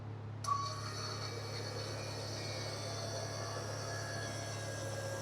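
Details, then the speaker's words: Cummins-swapped Cadillac, newly installed FASS electric lift pump replacing cam-driven mechanical pump: faint steady electric hum with a thin high whine while purging air from the fuel system; normal priming. "That's it. It'll kind of sound funny while it's purging all the air out of the system."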